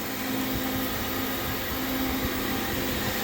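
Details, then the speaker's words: Stratasys Fortus 400mc 3D printer booting up: steady, even whoosh of air with constant low hum from cooling fans, brief puff of air, no rattles or pitch changes; fans running normally. "I can feel air moving there's a fan going here these fans are"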